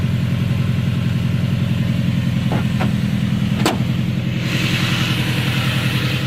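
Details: Subaru EJ20K flat-four at idle with a steady low knock of about three or four beats per second plus a couple of stray clicks; engine knock, cause unconfirmed.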